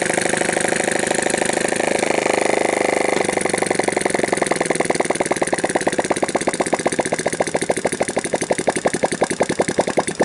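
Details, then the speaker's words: Sunl 110cc ATV engine, cold start after intake manifold leak fix, gas poured into intake, jump pack and portable CDI: fires on first touch and settles to quick, steady single-cylinder idle with even firing; normal start. "I just touch that and it fires right up so let's see how we do"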